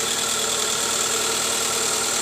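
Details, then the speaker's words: 2005 Toyota Camry 2AZ petrol engine at idle after replacing the tensioner: a smooth, even idle with a light hiss. The previous growl is gone, confirming the tensioner diagnosis. "Oke ini bunyi ngoroknya juga udah ilang ya guys alhamdulillah ternyata benar dari Tensioner analisa kita tepat ganti Tensioner SP"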